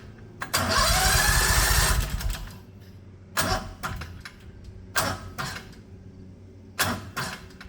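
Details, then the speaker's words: 670cc Predator engine in 1969 Renault R10 with dual 24mm OKO carbs: starter drags slowly in uneven bursts, labouring on each compression stroke; hard to crank over on compression, fine once spinning. "so yeah the engine does have a tough time cranking over if it's on its compression stroke but once the engine starts spinning the starter seems fine"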